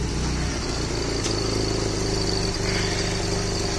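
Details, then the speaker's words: 2004 Corsa Evolution 1.8 with very shaky, wavering low idle that dips and nearly stalls; also heavy fuel consumption and no power at high rpm. Traced to a faulty engine control unit. Rough idle. "listo como podemos apreciar el motor está muy tembloroso ya está full tembloroso inclusive llega a pagarse"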